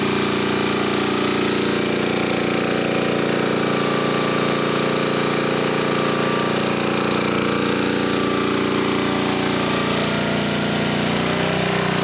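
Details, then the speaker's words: 1980 Homelite 5000 W generator with cast-iron Briggs engine and changed exhaust, running a 220 V 3 hp air compressor (about 3,400 W): a loud, steady, rapid exhaust beat that holds its pace without surging or stumbling; it carries the load well. "okay seem to take a 30 400 watt load pretty good"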